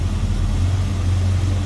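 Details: 1972 Chevrolet C10 with rebuilt 350 V8 and Turbo Hydramatic 350 automatic, idling under the hood: deep, steady burble with an even low rumble and no ticking or knocking; a healthy fresh rebuild, normal idle.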